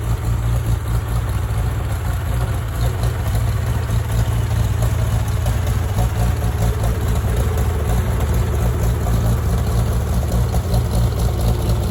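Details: Farmall tractor (1949 H or 1968 656, unclear which), troubled by fuel problems and cutting out; carburetor adjusted after it hadn't run over 30 seconds, coolant was 2.5 gallons low. Steady, even low drone, no knocks or misses, settled smooth running; normal running.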